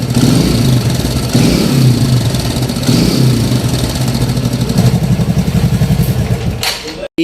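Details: TVS 110cc motorcycle engine idling with a loose, clattery rattle over the beat, from timing chain noise; fixed by adjusting the timing chain adjuster/tensioner.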